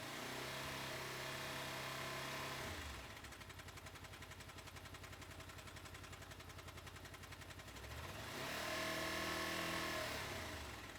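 At idle a crisp, even tick runs about three to four times a second over the engine, and it stays audible between revs; clicking from the engine, cause unknown.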